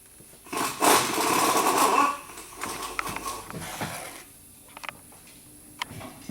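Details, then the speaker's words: 2009 VW Jetta TDI, CBEA common-rail diesel, 232,000 miles, no codes, not immobilizer: catches with a brief rough roar for about a second and a half, then dies with dual-mass flywheel rattle; starts then stalls every time. "It starts and dies every time."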